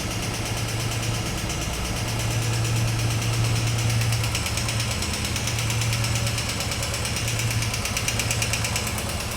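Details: Royal Enfield Thunderbird 350, 10 months old, 4,200 km, idling with a dull, uneven knock about three a second over the single-cylinder thump. The service center could not rectify the engine knocking; the source is unknown.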